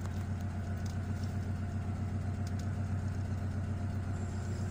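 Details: Petrol engine in a Honda idling steadily with a low, even hum, RPM settling down toward 700 after cleaning cured an erratic, rough high idle.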